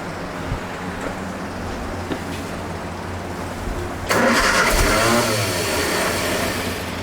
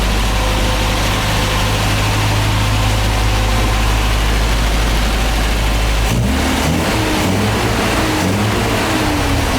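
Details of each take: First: MGA 1600 roadster, cold start, manual choke held by hand, new cheap exhaust: engine catches, runs, then stumbles and fades as the choke is released too fast; needs to warm up. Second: MGA 1600 roadster with new cheap exhaust, hot start, timing bumped up, slight electrical miss noted: steady idle then quick crisp revs with rising pitch, peppier and quiet once fuel pump keeps fuel; running normally.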